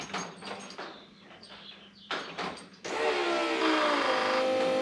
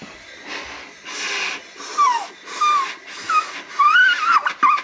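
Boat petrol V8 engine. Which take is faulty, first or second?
second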